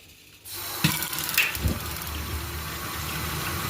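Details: Universal digital gas water heater after an ignition fault was fixed. Water rushes, then the burner catches with a soft whoosh and settles into a steady, even roar, firing normally.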